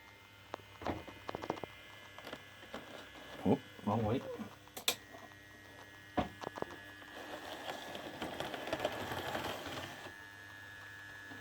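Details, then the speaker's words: Mehano OO gauge model locomotive after swapping in the chassis and motor from a Mehano V160 in place of a noisy one: after handling clicks, a soft, even whir with no rattle or buzz, smooth and quiet. "okay you can hear there's a big difference in this look how smooth and quiet that dennis"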